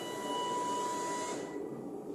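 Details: 2021 Bailey Pegasus Grande Messina caravan motor mover driven by handset forward, backward and turning: quiet steady electric whine with smooth rolling hum, no grinding or clicking; mover running normally.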